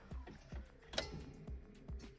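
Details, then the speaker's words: Subaru 2.2 engine with 1999 Legacy computer and pared-down harness in a VW bus, day after first start, key on before cranking: light, even ticking about every half second; normal fuel pump priming. "it's the next day after we got her running and turn the key can hear that fuel pump cycle"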